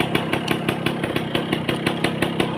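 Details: 1990s Yamaha Belle (likely SL), probably 100cc with a hand clutch, some parts missing but the engine judged good: even, steady firing pulses about six a second with a brief throttle blip, a small engine running cleanly.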